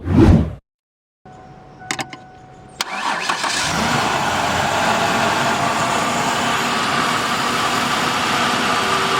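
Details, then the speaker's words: 1993-era Ford Ranger, sat a while with a dead battery, run off a jump pack. Out of gear, the frame-mounted starter solenoid is jumped with a screwdriver: a few clicks, then the starter spins and it fires at once into a steady, even idle. Normal crank and start. "So now to test that the machine runs correctly, we take it out of gear and we go jump that starter solenoid, and the truck should start right up."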